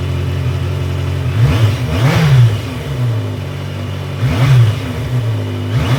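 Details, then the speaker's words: 1982 Yamaha Maxim 750 after ignition switch repair and replacement stator: engine fires right up and runs steadily, two clean throttle blips rising and falling smoothly; sounds healthy. "So, that all works. Perfect. Fired right up."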